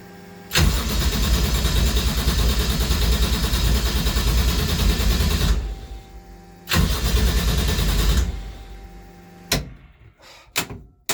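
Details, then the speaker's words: Toyota 1JZ swapped Nova with 255 fuel pump: catches, runs rough about five seconds then dies, restart fades after two; owner suspects insufficient fuel flow or plugs fouled from earlier test fire. "what's going on all right we had a brief hiccup there I think I just needed to kind of build some some more fuel flow through everything but we're gonna try this again"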